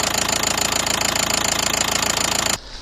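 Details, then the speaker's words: 2012 Nissan Qashqai 1.5 diesel that started knocking suddenly one morning. At idle there is a sharp, even knock of about 3.5 per second over the diesel clatter, the same everywhere on the engine by stethoscope and not one injector. Cause: cam timing jumped from a sheared cam pulley key. "после того как мы прослушали двигатель звук какой-то был непонятный равномерный по всему двигателю по всем форсункам так скажем"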